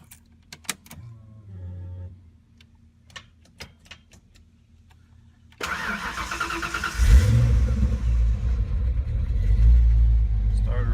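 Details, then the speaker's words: Fox Body Mustang, first start after installing a new 130 amp alternator on a trimmed bracket with the stock belt, replacing a failed unit: the engine fires at once, blips and holds a steady idle with no belt squeal. It is not squeaking. "It's not squeaking or anything."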